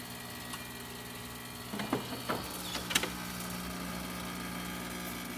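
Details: Rocket Romano espresso machine after service, vacuum release valve replaced because a leaking vacuum valve caused loud hissing: steady, even pump hum with a low drone and no hiss, running normally during a test shot.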